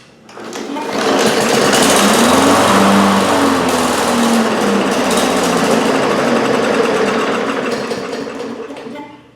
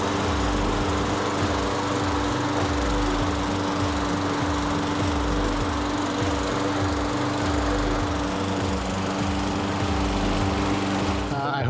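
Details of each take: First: 2018 Briggs & Stratton 450 series mower that wouldn't start: catches on starter fluid and runs rough and rattly for several seconds, then dies from fuel starvation; spark and compression are fine, and a clogged jet in the dirty plastic carburetor is suspected. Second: 2018 Briggs & Stratton 450 series push mower, a no-start, after cleaning its plastic carburetor: steady, even single-cylinder chugging at constant speed with no misses or surging. It now runs normally.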